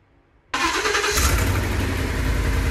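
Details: 2014 Ford E350 5.4L V8, with injector circuit and misfire codes, during a power balance test after injector wiring repair: it cranks, catches, then idles unevenly from dead cylinder 7, its coil accidentally left unplugged during crimping.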